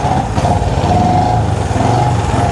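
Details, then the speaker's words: Honda CB360 twin just kick-started cold on choke, ignition out of time: ragged, uneven idle with beats dropping out; number two cylinder not firing, number one side much hotter. "all right so that number one side is much hotter than the number two because number two it just uh you know doesn't want to fire"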